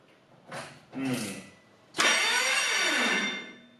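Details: Corrado VR6 turbo 4WD build, first crank after wiring and plumbing: two short cranks, then a longer harsh whirring crank with a sagging tone; sounds wrong, cause unknown.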